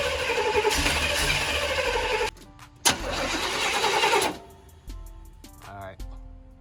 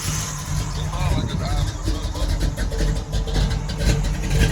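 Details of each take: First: Crank-no-start with two long cranking bursts and steady starter chatter that never fire, music behind. The car has a newly fitted Brawler 650 double-pumper carb (Holley-type) after the old carb failed. Spark is present, but the plugs are fouled and need replacing. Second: Low, slightly uneven rumble at warm idle with no knock or tick, after a new Brawler 650 double-pumper carb and new spark plugs and a few minutes of running. Rpm is unknown with no gauges; normal warm idle.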